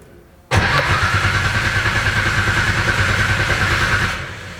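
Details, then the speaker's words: Haltech-wired RB26 swapped into an S13, first crank: the starter spins evenly for about 3.5 s with no catch. The fuel pump isn't priming; a missing base map is possible. "Alright, so this is first turnover with the hall tech. Nothing, no, that was it. One more click. I did 3. It's not priming."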